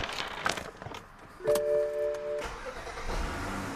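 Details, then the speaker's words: 2013 BMW X6 xDrive35i N55, towed in with dead battery, cranked but wouldn't start; after fuel pump replacement, on jumper pack: brief crank, catches at once, steady idle under dash chime; clean start, check engine light still on. "Oh, there you go. Started right up. Before it wouldn't start at all. It would just crank, and nothing."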